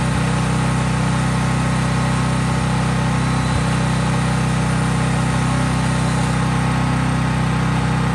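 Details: Craftsman 5000-watt generator, cold-started outdoors and held at full governed speed with just an LED bulb plugged in, so unloaded: a deep, even drone that stays constant without surging or misses. Healthy, normal no-load running.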